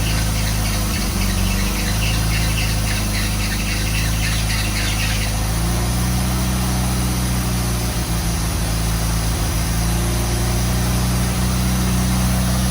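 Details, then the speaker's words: 1985 Pontiac Fiero project car, first rough start after fuel system work, with mouse nests blowing out of the exhaust: engine stumbles with a high squeal on top early on, likely a slipping belt, then settles to a lumpy idle. "All right, that was crazy. Sounds like it's about to explode."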